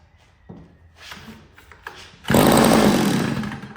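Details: $5 yard sale two-stroke curb edger with mock-up gas tank feeding the carburetor, on choke: catches after a couple of pulls, buzzes briefly, then fades out; likely over-choked, then switched to half choke.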